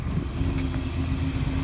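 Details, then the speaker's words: 1948 Mercury coupe, cold at idle, oil pressure just over 60, under hood: deep, slightly lumpy rumble with steady lope from a mild cam; healthy engine, though running slightly rich with a little black smoke. "have a little bit of a cam to it you can hear it's just kind of the right amount of rumble"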